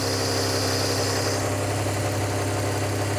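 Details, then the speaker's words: Barn-find rear-engined Czechoslovak Skoda, long stored, run with fuel fed into a jug, on choke. Steady, slightly lumpy fast idle with low even drone, no knocks; fast idle on choke. "You're right. It does sound important."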